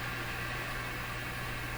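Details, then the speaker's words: Clairtone console stereo FM receiver while turning the discriminator transformer: steady hiss with low hum, no station; signal strength drops as it is detuned, noise heard because signal is too low to be limited. "So I'm turning the transformer. You can hear the radio losing its signal strength. Back to where it was. At least its ability to pick up and reproduce noise."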